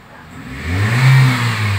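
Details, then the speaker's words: 2003 Toyota Vios after carbon-cleaning engine treatment for heavy, sluggish throttle and knocking: picks up cleanly from idle into a smooth rev with no stumble or bog; normal throttle response. "lebih cepat gasnya sekarang. Oh, lebih enak."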